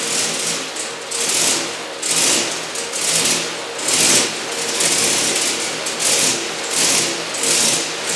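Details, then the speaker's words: Turbocharged 1961 Chevy pickup with LQ4 swap on first start: engine surges and sags roughly once a second instead of settling, believed due to a faulty throttle actuator controller; a junkyard replacement made it much better, pedal still suspected. "Pretty sure I had a faulty throttle actuator controller. Found one at the junkyard, so I put that in and it's a lot better."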